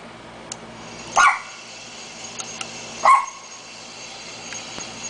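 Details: Hunter Original ceiling fan, 2001, run for years without oiling: two short whiny squeals about two seconds apart as the fan barely turns; dry worn main bearing with almost 1/4 inch play.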